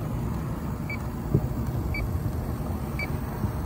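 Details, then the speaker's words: Leak detector beeping about once a second over a low running rumble at the AC condenser, which had zero PSI yet shows no oil stains; refrigerant leak confirmed at the condenser. "okay we got a leaky condenser but I'm not going to stop there there's no oil stains at all this had zero PSI in it"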